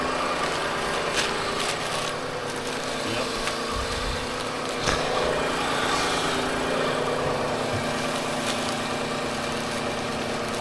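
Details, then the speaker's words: 2005 Honda Odyssey after belt tensioner replacement, engine started; quiet smooth even idle, no squeal or chirp from belt, squeak gone. Normal idle. "Well, I guess we fire it up. Sounds quiet. That's it. No more creepy squeaky."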